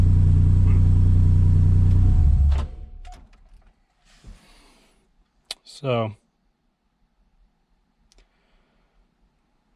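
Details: Subaru Impreza with swapped EG33 flat-six, passenger-side bank one running richer than bank two: catches and runs rough with a lumpy pulse about three times a second, then dies; injectors and coils wired out of firing order.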